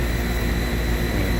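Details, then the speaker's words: DIY 3-phase scroll-compressor A/C with VFD converted to 2-stage, first stage at 40 Hz with ECM blower at half speed, about 5 amps, blowing 60°F air: steady low hum and quiet airflow, no knocks, rattles or squeals; normal reduced-speed running. "You can't even hardly hear the air. I mean, because it's down to 50%."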